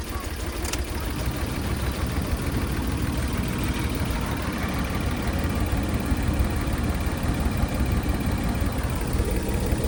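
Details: 25-year-old kei van that seemed to overheat with lots of water blowing out though radiator looked normal; low steady rumble at idle, no clear misfire rhythm; rough idle, owner suspects blown head gasket, unconfirmed.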